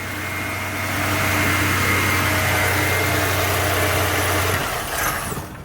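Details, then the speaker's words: 2006 Chevrolet Impala LS with no-crank fault from torn wires, wires held together by hand: engine idles smoothly and evenly then cuts out abruptly when wires released; runs normally while circuit connected. "The car runs just fine."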